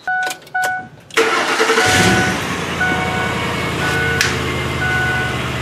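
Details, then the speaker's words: Ford Explorer after a new Magnaflow aftermarket exhaust was fitted and a rusted catalytic converter flange repaired: starter whirs briefly, then a smooth, even idle with a low, quiet note and no rasp or leak puffing; much quieter than the old holed muffler. "it's a lot quieter than it was before the aftermarket exhaust is magnaflow exhaust"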